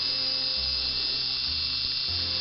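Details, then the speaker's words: Hornby R373 9F Evening Star model locomotive, tender drive motor test run after oiling and greasing (very noisy before): steady, smooth high-pitched electric whir with no grinding; motor healthy after lubrication. "And here, this is the tender drive motor, and I'm just giving it a test run."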